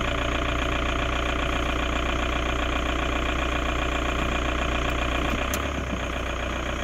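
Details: 2002 VW Jetta TDI diesel idling in Park, AC off then on: steady clatter about two and a half beats a second with an odd extra rattle, source unclear.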